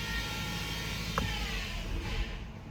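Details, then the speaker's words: 2013 Ford C-Max hybrid, HF35 transmission, 125,000 miles, in Ready with the gas engine running: a thin buzz-saw whine over engine rumble that rises when pushed, from a failing transmission stator bearing; the transmission showed seal failure and oil slinging. "that is the transmission stator bearing going bad."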